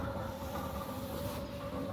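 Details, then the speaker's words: Newly installed Centurion D5 Evo Smart sliding gate motor during setup travel (gate reversing to end stop), mic near motor; steady low hum with even gear drone, no knocks or vibration; finding: normal running. "I'm just going to hold still like this so that you can see the gate motor is not vibrating, or I'll just listen to it."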